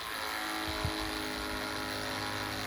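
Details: Spyra 3 electric water gun after being dismantled, repaired and reassembled, display reading zero, trigger pushed forward to fill: quiet, steady electric hum as it draws water, with a click near the end; the pump runs normally.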